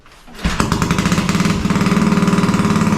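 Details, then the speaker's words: Shed-built Royal Enfield bobber, first start off the bench on full choke with some throttle: catches and fires, a single-cylinder thump with slightly uneven pops. Sounds a little poppy; owner expects it needs adjustments to smooth it out. "at least we've got life that's good everything sounds sweet it's a little bit Poppy so I reckon I'm gonna have a few few adjustments now"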